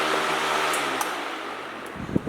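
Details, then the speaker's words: NewAir WindPro18W wall-mount fan in a garage: steady even rush of air, no rattle, wobble or ticking; motor quiet and smooth. "It's not that loud, so it's not gonna get annoying as hell working in the garage all day listening to some loud ass fan that's making all this racket. It's actually pretty quiet, and it's pushing a ton of air."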